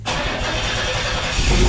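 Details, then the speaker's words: 1986 GMC S15 Sonoma Sierra Classic started to warm the oil for an oil change: an uneven chugging crank that takes a moment to catch into a rough rumble. The owner suspects a weak fuel pump; exhaust is blowing from multiple spots. "might be dealing with a weak fuel pump too cuz it kind of struggles in the beginning"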